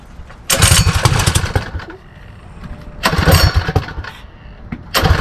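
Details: Predator 224 Max Performance HEMI engine on Mega Moto minibike, first start after build: three throttle blips settling to a steady, clean idle; runs well despite a fuel leak, owner suspects stuck float or needle flooding the carburetor.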